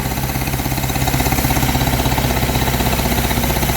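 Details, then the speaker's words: 1953 Hillman Minx barn find, first run after 30 years, no coolant, oil put down the cylinders: steady low beat of about four pulses a second holding even throughout; engine idles properly, normal idle. "So I don't know. It sounded alright. It actually idled."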